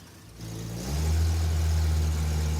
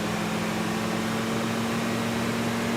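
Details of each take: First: Engine revved from idle: flat, dull, lazy-sounding rev; timing light shows 5 degrees at idle and no advance at all when revved, distributor advance mechanism suspected stuck. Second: Engine after fixing the distributor advance, set at 9 degrees initial timing, revved: held strong and steady at high revs, then easing off smoothly, about 27 degrees total; advance working properly.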